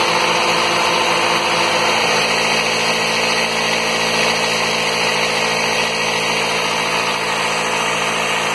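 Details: 2005 Toyota Corolla four-cylinder at close to 120,000 miles, started right after a spark plug change: even, settled idle with a steady hum and a constant high-pitched ring, no misfire or stumble, running normally.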